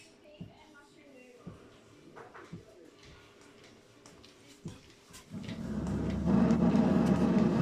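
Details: Fisher & Paykel dish drawer on fast mode, about 7 minutes left, just before draining: after light clicks, a loud rough squeaky grinding; pausing and resuming stops it.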